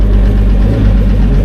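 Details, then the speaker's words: Repowered boat outboard, replacing an old 250HO Etec, that had sat a while, just restarted after fuel priming and bleeding air: a deep, steady burble with an even beat and no misses; idling cleanly though still a bit oily. "She's still going to be a bit oily, but that's all right. I'm okay with that."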